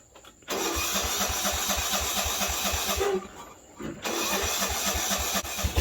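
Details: Cheap non-running riding mower started after brake, clutch, neutral procedure: small engine cranks, fires, runs with even putter, briefly dips then recovers; carburetor float bracket broken, tuned via cutoff valve; running normally now.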